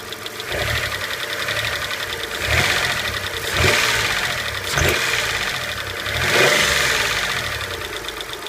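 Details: Petrol V6 blipped several times: light fast metallic lifter tick, heard around when STP oil treatment is added as a fix (half a quart). It quieted after sitting an hour or two; owner says results are unpredictable and recommends replacing the lifters.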